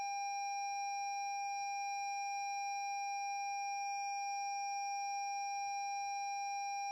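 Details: 2017 Lexus NX 200t after jump cables were connected reversed, new battery fitted, starter won't turn: steady pure electronic tone at one pitch; dash warning chime after reversed jump-start.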